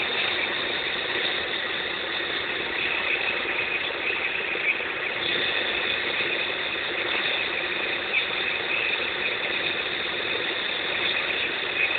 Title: X20XEV Strange Noise Part 3